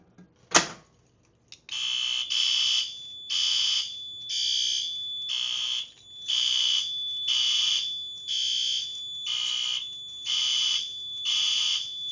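After a sharp clunk, a piercing horn pulses steadily about once a second: the alarm is sounding, triggered by the pulled station.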